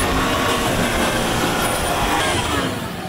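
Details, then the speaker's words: Land Rover Discovery 4 3.0L TDV6/SDV6 diesel, hot at 102°C, held at 3500 rpm after oil pump replacement, oil pressure 1.9 bar, in spec; dense, even roar with no knocking, rattling or tapping. "the engine is now hot you can see it's still 102. so three and a half thousand RPM"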